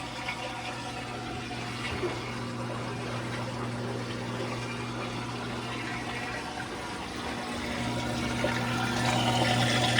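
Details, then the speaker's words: Whirlpool Duet front-load washer, about 10+ years old, after repair: drain pump running with a steady low hum and water rushing out, no rattle; the earlier vibration, thought to come from the pump, is gone and no leaks. "All right, the pump is on. And yes, I think that took care of our vibration too."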